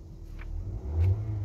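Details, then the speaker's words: 2023 Nissan X-Trail that cranked but wouldn't start, blowing its fuse from a grounded fuel pump; after fuel pump assembly replacement the engine starts and runs with a steady low rumble, rising slightly when revved; normal running. "So may start na siya. So okay na. So bale yun lang naging problema natin yung ating fuel pump."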